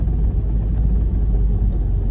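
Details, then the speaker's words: Vehicle driving in real cold snowy weather: steady deep rumble with a low rattling drone from the exhaust, which only happens when very cold, never in summer or spring; owner wonders if it is the muffler, cause unclear. "Every time it gets cold, real cold, you're going to hear that vibration in the exhaust, I guess."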